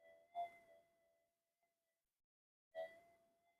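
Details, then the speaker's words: Pulse-induction metal detector on redesigned GPX-5000 upgrade boards, bench demo at about a third gain, coil swung over a target: two clean tone responses over dead silence, no hiss or chatter; quiet, no noise. "But the thing is there's no noise. Now, normally when you start getting that the circuitry unbalances and you start getting noise through your detector."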